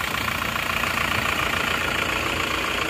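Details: Isuzu Panther diesel with original liners, checked back at the shop after a 50 km drive. Idling and blipped, it gives a steady, even clatter with a smooth regular beat and no odd knocks. Normal, healthy diesel idle.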